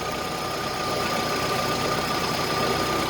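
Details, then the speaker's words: Yale forklift with a Mazda propane engine, running after a new vaporizer diaphragm was fitted for a crank-no-start; even, steady idle drone with a constant faint whistle over it and no knocks or misses. "so it's running already but we just took out the propane supply"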